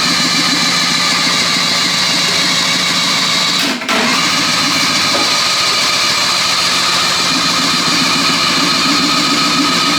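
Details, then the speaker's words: 1974 Daihatsu S38 mini truck, new plugs and fuel poured down the carburetor: fast steady cranking, it briefly tries but never catches; compression later read about 75 PSI; cranks but won't start. "crank it here we go say your prayer come on Bessie all right stop huh it tried for a little it did try for a second"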